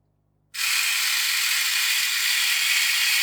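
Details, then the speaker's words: Addams Family Thing coin bank gearbox, opened and run on a bench supply at full 3 volts: steady high-pitched whirring buzz of small gears spinning evenly at full speed, no catching or grinding; normal gear train running. "Okay, well that's working. All the gears are turning as they should."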